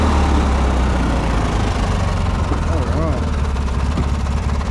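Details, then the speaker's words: Briggs & Stratton ride-on mower idling in neutral with park brake on after a shredded starter drive gear was replaced: steady low single-cylinder thump, even, no misses or knocks, healthy idle. "so it's in neutral and the parks on so it shouldn't cut off even want to hop off sounds good idling and uh yeah I'm actually really impressed with that how it's turned out"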